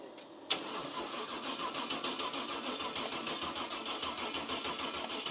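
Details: Cub Cadet garden tractor with a swapped-in 305 Chevy small-block V8 cranks steadily at about three turns a second but never catches; fuel starvation, owner thinks it may need a jump box.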